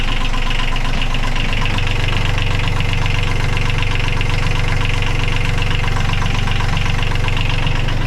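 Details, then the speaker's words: Sailboat diesel idling with an even, steady clatter, no misses or hunting, after a full rebuild. The fuel pump had been installed slightly out and was corrected by an engine builder. Runs smooth with no smoke. "he took that back out and rectified that situation and uh there now run it there it is"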